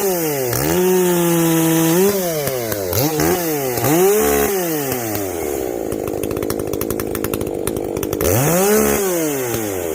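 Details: Echo CS-590 chainsaw after a carb mod with limiters removed, high and low jets richened, exhaust opened up; climbs to a clean high scream and drops back to idle, steady in the cut; not running hot, owner guesses it now reaches the rev limit.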